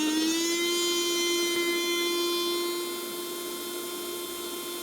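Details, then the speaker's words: Nut-milk maker/blender that wouldn't power on, after capacitor replacement, lid fitted, tested under load with water: smooth high whir rising quickly to a steady even pitch; motor runs OK. "đậy lắp vào là đã chạy vậy là con này mình đã thay tụ là mình test có tải là chạy OK nhá các bạn nhá"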